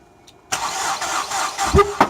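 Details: Ford Escape: starter turns over briefly, engine stumbles with a few uneven catches but never runs; cranks but won't start, and it caught fire during the attempt.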